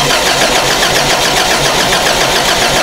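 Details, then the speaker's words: Toyota Celica during no-spark testing with the distributor cap off, the old shorted ignition coil accidentally refitted: fast, uneven starter churning with no firing or catch; cranks but won't start because of weak spark. "This weak spark here. Damn it, son of a bitch. We just bolted on the old coil that I took off."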